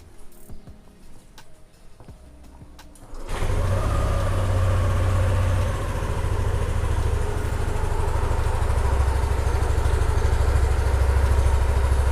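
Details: 2020 Yamaha All New NMAX scooter started after an oil change and oil-indicator reset: quiet clicks, then the single cylinder catches at once and settles into a steady, even low putter with no knocks. Normal start and idle.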